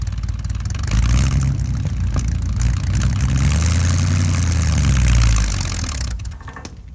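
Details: 1975 Ford F-100 with 140,000 miles, abandoned 17 years, first start after revival work; deep burble settles into an even idle and swells smoothly on revs; normal idle and revving.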